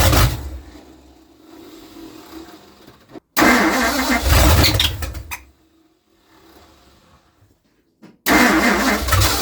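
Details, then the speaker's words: 1960 Ford Starliner 360 FE tri-power, being revived before intake swap: engine catches and roars a few seconds, dies, fires again briefly; it wouldn't run by itself, fuel had to be poured in by hand. Cause suspected, not confirmed. "It wouldn't just run by itself. I just had to keep on putting the fuel in by myself."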